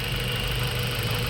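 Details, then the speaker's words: Mazda 3 1.6 four-cylinder after cylinder head work for low compression on cylinders 2 and 3, cooling system being flushed with water: steady, even idle hum, no misses or shaking, faint water rush; vibration gone, normal idle. "yon yan tining na wala na yung vibration walang check engine w check engine yun wala na"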